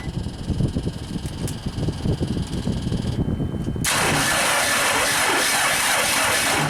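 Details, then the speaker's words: JLG Baby Scissor lift small engine with brand-new battery at 12.5 V; uneven sluggish cranking about four seconds before catching and roaring, starter drawing over 400 amps; owner suspects flooded or seized engine, starter failing. "Oh, crap. It's got 800 amp scale. Amps, that's way too much for the starter."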